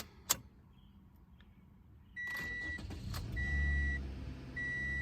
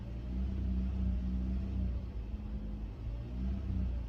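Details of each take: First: 2014 Toyota Corolla LE 1.8 2ZR-FE with P2118, no throttle response and high idle, after throttle actuator circuit checked good: warning chimes, quick crank, catches and settles to a slightly high idle that comes down; normal start-up. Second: 2014 Toyota Corolla LE, 1.8L 2ZR-FE, code P2118: low, unsteady idle surging and sagging every second or two; RPM drops and it shifts rough in gear with barely any throttle response. Open in the throttle actuator motor wiring.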